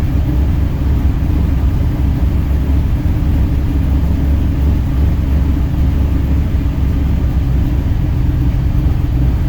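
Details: 2003 Ford SVT Cobra V8 at idle: deep, steady low rumble with no clear hiss or miss; owner suspects a vacuum leak and is checking with a vacuum gauge.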